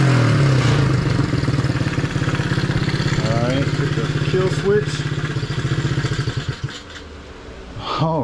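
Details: Long-sitting pit bike with fresh oil, hand-kicked: small single thumps along evenly, picks up cleanly when blipped and settles back; engine runs healthy; normal running and revving.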